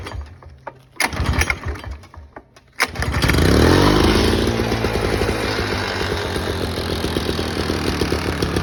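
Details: 1987 Toro GTS mower with Suzuki 2-cycle engine, choke only, replacement Mikuni carb fitted, cold start: catches on first pull and settles into steady, crisp two-stroke buzz; normal cold start.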